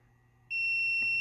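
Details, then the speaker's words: Magnis SDR receiver build, continuity test on band pass relay K1 switching between high band (10 MHz) and low band (9 MHz): clean steady high-pitched beep showing relay contacts closed; relays acting as they should. "there we go so that confirms all the relays are acting as as they should"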